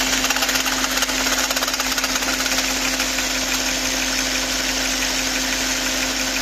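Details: VW Phaeton V8: fast, uneven metallic rattle over steady-running engine; owner suspects camshaft adjuster, not confirmed.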